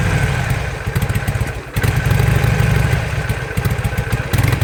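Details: 2007 Harley-Davidson Sportster that suddenly lost 90% of power, backfires and stalls on throttle, fuel pump running constantly despite new plugs and fresh gas: lumpy, uneven V-twin beat sags, nearly dies, recovers; backfire and power loss, cause unknown.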